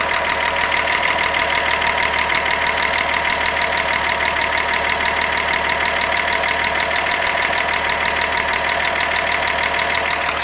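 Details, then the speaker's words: 1948 Chevy 216, first running since 1989, timing checked at octane selector with mark lined up on flywheel BB; steady even idle with light regular ticking, no misses or knocks, idle probably slightly fast. "we're probably running a little fast [Applause] i could slow that down and recheck it"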